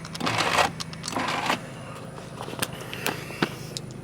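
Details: Minivan power window: short scraping, rattling bursts each time the window runs, in a quiet cabin. Owner suspects the window regulator, where a plastic piece usually chews through a wire over time.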